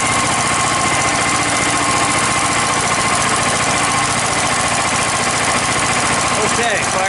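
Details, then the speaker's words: DuroMax XP10000EH generator on propane, maintenance run, idle control on so it idles low without load: steady, even firing at a constant level with no misses or stumbles. Normal start and running. "fires right up. Now it's idling real low because I have the idle control on, which basically, you know, idles it down unless there's demand."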